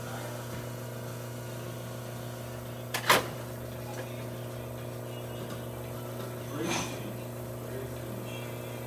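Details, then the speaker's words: Quick Mill Verano 2B espresso machine, test shot after a full service that fixed a slight hissing from the top: even, steady pump hum, a couple of handling clunks, no hiss; running normally. "so as you can see machines functioning there's no missing Louis towards the top there we go the stream is picking up a bit very good"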